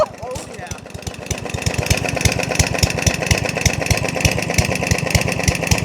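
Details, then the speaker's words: Yardman 139cc overhead-valve mower with jets drilled to 3mm, running diesel-like and knocking: hard, distinct firing thumps about three per second staying slow and labored as load comes on; engine bogging, cause unconfirmed. ">> Why is the torque helping it? >> It doesn't like it. >> You don't like it at all."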